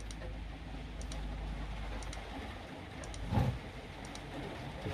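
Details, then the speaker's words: Power tool battery pack on charger, battery LED not lighting, just over 9 V and dropping: sharp light clicks about once a second from the charger, battery not accepting charge, cells suspect. "clicking away does not want to charge it looks like it's charger but it's not I've had ones like that before when you hear that clicking sound it's not happening"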